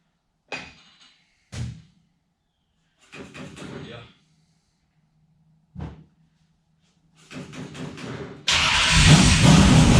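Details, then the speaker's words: RMX 250 motorcycle under restoration, run with no air filter: several short cranking bursts with pauses, then the engine catches and roars into a steady, loud run; starts and runs normally. "Y'all ready? Let's see if we can get her to bust off."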